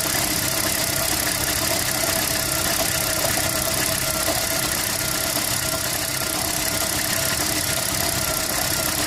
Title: Toyota prius 2011 misfire